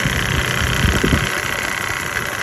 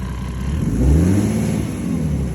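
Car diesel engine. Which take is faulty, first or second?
first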